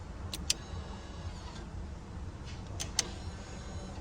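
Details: 2016–2021 Honda Civic after replacing the electric parking brake switch (code C1120-14): two sharp clicks bracket a faint, brief rear motor whir over a low cabin rumble; the parking brake releases normally.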